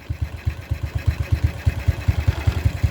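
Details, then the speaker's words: Suzuki Smash New carbureted motorcycle with heavy fuel use and blackened spark plug, during air screw and idle adjustment; lumpy idle near three beats a second, loudness swelling and dipping, mixture still slightly rich. "masih suaranya agak apa ya agak keborosan kita putar kembali ya"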